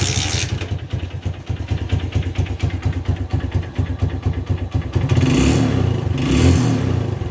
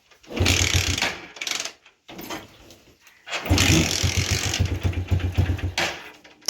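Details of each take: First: TVS Star City 110 motorcycle after fixing a spark plug current leak that caused starting trouble in rainy weather: starts in one kick, settles into an even single-cylinder thump and revs up and back cleanly without stumbling. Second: TVS StarCity 110 petrol bike in rainy weather, electric start dead, so kick-started: catches into a few seconds of rough firing, then stalls even when revved; spark plug leaking current, causing no-start.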